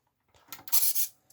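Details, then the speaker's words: RC Revell Liebherr A900C Litronic excavator model with three 1.7g boom servos: quick rasping whir as servos jerk to commanded positions at power-up, because servos don't report position back to the main microcontroller. "so you've seen all the servos jerked there so they jumped to the position that the microcontroller here your main control microcontroller told them to go to"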